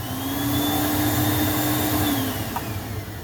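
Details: Juma 110 escalator cleaning machine, vacuum running: steady, even whine holding pitch with a low hum underneath and no rattle or surging; vacuum motor running normally.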